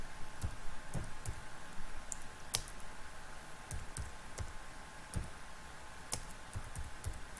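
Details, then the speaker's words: MaxxAir MaxxFan 4500K roof vent fan in RV bathroom: sharp, uneven clicks about once a second over faint fan hum; cracked automatic lid operator mechanism, fix is replacing operator part MA10-20281K-1AF. "the clicking noises are you're hearing from your max then deluxe rook that actually means you need to replace the operator mechanism"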